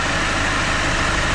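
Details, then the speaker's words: 2013 Mercedes Vito diesel van after a new Schaeffler alternator OAP pulley and new aux belt, fitted to cure a screech misdiagnosed as a failed tensioner: steady, even diesel idle, no squeal or chirp; normal idle. "that tension now is absolutely perfect right let's just Dr round into the cab we'll give it a full lock left hand down right hand down down no more squeaking whatsoever"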